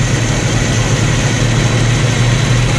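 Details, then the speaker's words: 1990 Jeep YJ 4.2L inline-six carbureted, 5-speed, started after about four cranks on new carburetor; deep steady low rumble at constant idle, no misses or knocks; normal idle, carb still needs adjusting. "But geez, it started right up."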